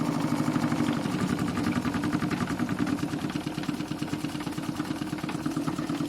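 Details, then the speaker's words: Renovated Stuart D10 double-cylinder steam engine for an RC live steamboat, fitted with new Teflon cup pistons, new and stiff, no Stephenson valve gear: quick, even chuffing with vibration but no clacking or knocking; normal running. "Aucun bruit. Vous entendez à part les vibrations, mais aucun claquement."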